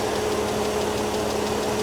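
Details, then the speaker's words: 2004 BMW 330i six-cylinder (modified, M3-style) at a Copart salvage auction, engine bay shown: steady, even idle with a constant low hum and no misses; sounds like a typical healthy BMW engine. "she sounds like a normal BMW engine to me sounds like a typical BMW engine to me"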